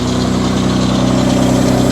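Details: Mitsubishi Diamante at 230K miles idling after tune-up and a replaced broken hose, smoking as carb cleaner burns off the exhaust: smooth, even low idle, steady hum, no knocks or misses.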